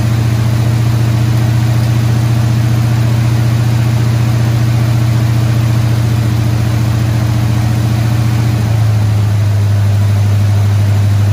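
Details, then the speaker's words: Squarebody Chevy C20 V8 at held fast idle around 2,000 rpm after correcting a distributor 180 degrees off; firm, even rumble settling slightly lower near the end, no misfires. Run about 15 minutes; valve train later got a little noisy. "so it went pretty decent fired it up ran it at about two grand for about 15 minutes or so"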